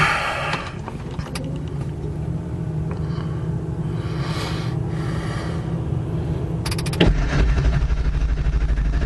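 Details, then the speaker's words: 1999 Ford F-350 Powerstroke diesel V8 right after an engine swap, with air in the high-pressure oil system feeding the injectors; it cranks slowly for about seven seconds before firing into a rumbling idle. "Now, this actually does crank good, but since I just worked on it, and I've got air in my high pressure oil system, which is what dries the injectors that let them build the pressure for diesel injection, it's going to crank like crap right now."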